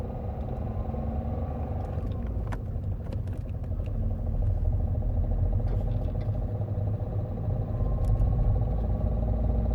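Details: Opel Astra H 1.7 CDTI 100 hp diesel: rough clatter with an irregular knock, present cold and still when warm, getting busier as revs rise; engine knocking of unknown cause.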